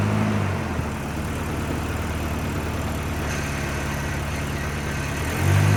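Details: 1989 Volvo 740 GL saloon left in a field for at least 3 years, started straight up with compression confirmed and no coolant in it. A steady, even low idle with a smooth pulse and no knocks or misses. A normal idle.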